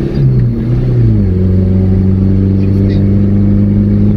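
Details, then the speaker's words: Mitsubishi Lancer GTI neo-classic project car: engine note climbs, then holds a smooth, steady hum with no knocks or ticks; owner calls it smooth, healthy running. "Swabe. Kitang rinig na rinig yun naman, diba? Diba? Okay yan, diba? Swabe naman."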